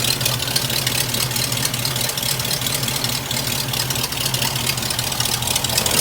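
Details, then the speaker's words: Hearse warming up at idle after new exhaust, with black smoke on startup thought to be from burning a little too much gas: uneven, loping idle with irregular beats and a hissy top end. Vacuum leak from a collapsing PCV valve hose, which needs replacing. "That PCV valve hose is not right. It's like, it's sucking itself. I need to get a new hose for that."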